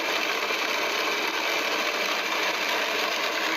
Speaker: cavitation is very destructive especially if on metal surfaces the acrylic surfaces here seem to handle a little bit better